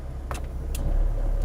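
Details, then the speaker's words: Chevy Corsa B, engine idling early morning, A/C knob pulled: over a steady low idle a loud sharp metallic clack as the air conditioning switches on; normal compressor clutch engagement. "to activate the air conditioning it is very simple look let's pull the knob (the camera light is failing) and we are going to hear a loud "clack""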